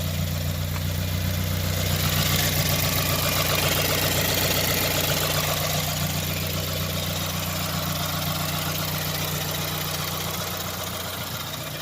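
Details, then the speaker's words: 2015+ Subaru WRX FA20DIT after engine pull and aftermarket ACT clutch install: steady, even idle with smooth low rumble, no knocks or misses; clutch grabs roughly 20-30% harder with some normal chatter; engine healthy. "Everything runs great. The clutch definitely grabs a lot harder."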